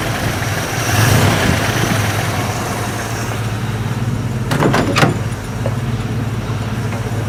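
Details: Classic Jeepster Commando after Rochester carburetor rebuild: fired up quickly into a steady, even low idle with no misses, just light clicks; fuel leaking from carb top, owner suspects float not shutting off.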